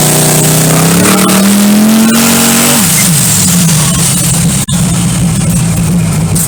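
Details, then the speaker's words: Twin-turbo LS car on a jack at the drag strip: steady whine from the rear end rising and falling with wheel speed, like a rear-end bearing; cause not confirmed, a hanging brake was checked. "You can't tell, but whatever it is, it's making motherfucking noise."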